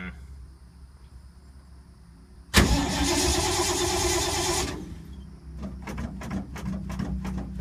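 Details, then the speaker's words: 1952 Ford sitting unstarted for a few months: a couple of seconds of starter churning with no catch, then scattered clicks; cranks but won't start, owner suspects it's flooded and needs priming. "hmm things been sitting for a while i can title this one hard start video it's never been this hard to start it's a nasty motor"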